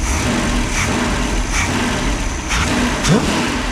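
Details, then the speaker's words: Freshly rebuilt 1968 Pontiac 400 high-compression V8 being broken in after a cam and intake fix, running unloaded with no transmission: a healthy idle, then quick throttle blips that climb and drop back without hesitation, responsive, not sluggish. "But it is responsive. It's not sluggish. It's very responsive, actually."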